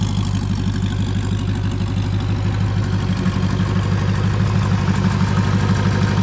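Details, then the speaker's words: Rebuilt Porsche 928 V8 after oil change to better oil: deep, smooth hum at an even pace with a quiet valvetrain; the constant valve tick heard before the oil change is gone. "not a complicated thing to do I know but wow does that engine sound smoother before I had the tick tick tick tick all the time from one of the the valves"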